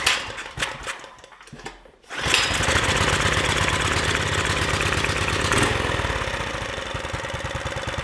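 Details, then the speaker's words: Predator 420cc engine newly swapped into a Polaris Hawkeye 300 4WD ATV, started in neutral: brief crank then a quick, even single-cylinder putter, quiet and steady; healthy idle. "Hey, it's really quiet, dude."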